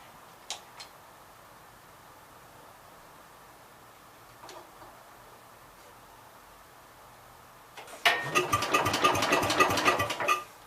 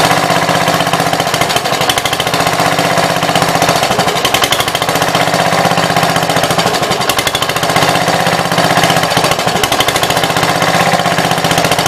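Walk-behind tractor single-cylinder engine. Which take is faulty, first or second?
first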